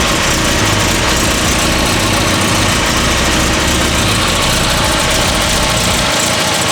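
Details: Classic car idling: loud even idle with a sharp ticking puff on each firing pulse from an exhaust leak; engine otherwise sounds good, no longer sputters on throttle.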